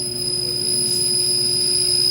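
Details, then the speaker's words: Inverter (DC variable-speed) compressor run on a compressor tester to show it is not defective, connection briefly loosened: steady high-pitched electronic whine with faint even hum, no knocking or rattling; normal running. "Gumamit ako ng yung ating compressor tester. Ayan, umandar na yung compressor natin."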